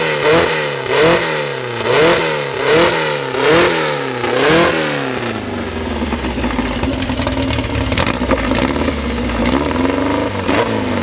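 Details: First start of a newly assembled 2054 engine (Fusca): five quick rev blips, then an even fast idle at the 1200 rpm setting, kept high for seating in, faint gear whir; healthy.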